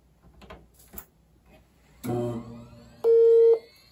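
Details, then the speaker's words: iMac G3 Lime auction find, first power-on: a few faint clicks, then one clean mid-pitched half-second beep with no boot, blinking front light, CRT high voltage and noisy hard drive heard; startup fault suspected, cause not confirmed. "Okay, that's progress. So we got one beep. I don't recall what that means. I thought that meant like a firmware update."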